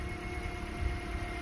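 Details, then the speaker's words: 2010 Toyota Corolla 1.8L 2ZR-FE dual VVT-i after alternator replacement and radiator neck repair: low, steady hum at idle with even rhythm, no knocks, ticks or squeals; normal idle. "Okay, fire it up. She's purring like a kitten. That's what I wanted to hear."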